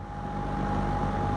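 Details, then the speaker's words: Lakewood P25 metal-blade box fan, barely used since 2009-2010, in a window exhausting air, heard from outside, started straight on high: steady low rushing air, faint constant hum, audible air chopping, no rattles; normal running. "But oh, that's just so cool. Just hear it chopping that air. Thing is so great."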